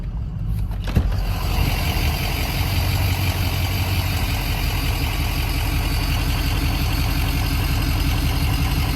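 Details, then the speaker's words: Ford Excursion diesel after head stud job, cold day, only about 3 feet of exhaust fitted: catches and settles into a steady loud idle with a faint high turbo whistle over it; engine healthy. "Hear the whistle. It's so goofy to drive with the exhaust that freaking short."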